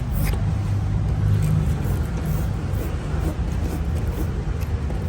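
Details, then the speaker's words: 2005 Isuzu D-Max diesel after fitting a strong new battery: engine spins briskly and catches at once, then holds a steady low rumble, unlike the earlier long, dragging cranking. "โอ๊ยทำไมมันไวขนาดนี้แบตแรงนี้นี่เองครับฟังเสียงนะครับ"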